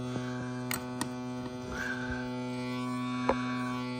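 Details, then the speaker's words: Crosley BC654a radio with a new power cord: a constant low electrical hum with a buzzy edge through the speaker, plus handling clicks. Possibly a shorted wire touching the frame or the vibrator, unconfirmed. "but this thing's really buzzing too the uh"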